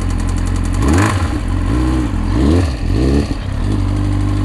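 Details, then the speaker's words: Triumph Daytona 600 after engine flush additive, engine idling then blipped: loose metallic rattle rising with revs; earlier warning light, power loss and rising temperature, owner fears top-end damage, unconfirmed. "got a bit of a rattle there right let's see i did have a bit of a combat indicator i was losing a bit of power"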